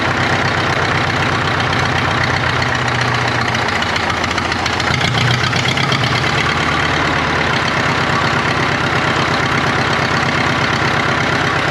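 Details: 1939 Caterpillar D4 crawler, D4400 diesel, first run after rebuild, started by pony motor: rough loping idle, low beat stumbling and dropping out every few seconds; engine has a miss, fuel leaks present.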